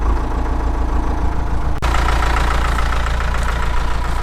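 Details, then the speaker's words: 1998 NMC-Wollard Swinger 3000 wheel loader, 80 hp John Deere diesel (four-cylinder), about 3,600 hours, no glow plugs, started with block heater and battery tender: even, steady diesel clatter and smooth drone, no knocks or misses; normal idle. "Let's uh get the key in here and uh fire it up yep that runs"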